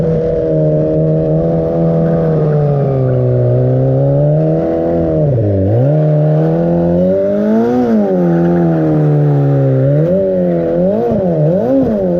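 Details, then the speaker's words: 300hp turbo Hayabusa crosskart on a short test drive: revs well in neutral, but under load at high revs the note climbs, then sags and stutters. A fuel-pressure drop from the fuel pump or electrics is suspected, not confirmed. Engine stumbles under load. "biggest you will hear that that engine doesn't run well so you don't wanna we don't want to prove anything"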